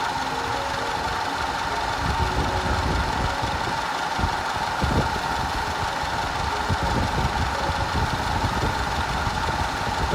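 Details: 2010 Audi A5 2.0 TFSI Cabriolet with codes P0304, P0300 and P130A. Uneven idle with an irregular stumble and occasional knock from a constant cylinder 4 misfire plus random misfire, later fixed.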